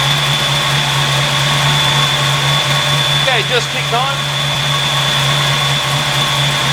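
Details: 1986 Mustang GT with newly installed Flex-a-lite Xtreme 185 electric fan; steady warm idle with constant high whir from the radiator fan running smoothly; normal fan operation.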